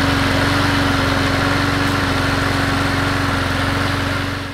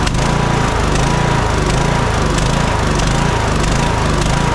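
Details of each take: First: Troy-Bilt Bronco riding mower, Kohler Courage 19, final run after repair of surging and stalling off choke with replaced carburetor: steady even drone, smooth firing pulse, no hunting or surging; runs like new. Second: Kohler Courage 19 on a Troy-Bilt Bronco 42-inch riding mower, after an aftermarket carburetor install, surges unevenly and dies with choke fully off; suspected bad fuel, fuel supply, air leak or poor carburetor, not confirmed.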